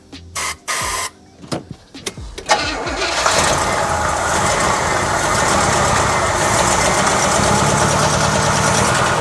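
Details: 1977 Oldsmobile 442 sitting 30 years, first start after a new fuel pump was fitted and fed from a gas can: a few cranking bursts and stumbles, then it fires and settles into a steady, even run with a strong low rumble.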